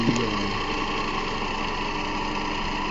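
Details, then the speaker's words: 2009–2012 Toyota Camry 2.5 2AR-FE engine at idle: dry whirring rattle below that sounds like timing chain but is a worn belt idler/tensioner pulley, before replacing belts and pulleys. "Of course, I'm doing the pulleys to make a noise. 2.5 model engine. You hear that noise down there. Sound like the timing chain, but it's actually a pulley down there."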